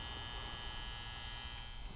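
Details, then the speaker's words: Garage furnace fan control center transformer: moving a part gives a wavering noise, over a steady electrical buzz with a bright high whine. Output reads 24–28 volts; transformer plates suspected bad; fan control center to be replaced. "If I move this, then I get a wavering noise coming from the transformer."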